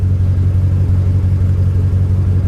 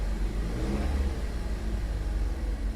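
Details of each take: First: Salvage-auction vehicle, engine running: deep lumpy idle with uneven pulsing beat and heavy low rumble, seemed to backfire slightly, strong raw-fuel smell, warning lights flashing; rough running, cause unknown. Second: Salvage-auction vehicle that drives but apparently broke a line underneath: deep even engine note rising and falling with throttle, no knocks or rattles; engine sounds healthy.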